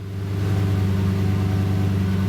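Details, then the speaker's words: Cheap Lamborghini being self-tuned, start after a new tune: the idle flares to about 1800 rpm, then settles to 1100 rpm into a steady, even idle with no misses or knocks; it idles normally despite lift errors. "it went up to around 1800 rpms and then just went down to now it's at 1100"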